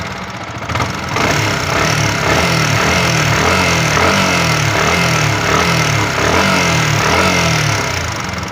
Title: YAMAHA R15 V3 Valve Tappet Noise problem/tamil